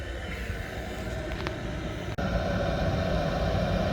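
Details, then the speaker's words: Oil-fired boiler burner running after new pump fitted, before setting pump pressure and CO2 (about 11.5) with analyzer: constant low roar, no grinding or rattle; burner and pump sound healthy. "just let that start up outside and then i'll set it all back up while the ball is running make sure we've got no other problems"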